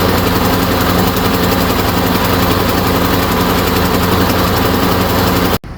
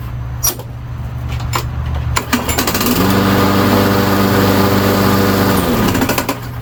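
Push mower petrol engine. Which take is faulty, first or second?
first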